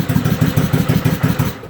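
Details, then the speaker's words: Suzuki motorcycle after stator cover repair, shorted rectifier disconnected, cold first start of the morning on choke: lumpy, uneven low chuffing fading toward the end, barely staying lit, needs more choke; cold engine running rough. "It hasn't been fired up this morning, so we'll turn it on, make sure the choke is set, give it a little fire up. Choke it a little more,"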